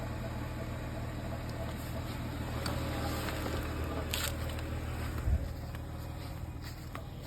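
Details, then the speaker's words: Vehicle engine after repair done 6 June 2024, recorded outside after starting: low, steady hum with even beat and no knocks, ticks or squeals; normal idle. "Alright, engine sounds normal and everything."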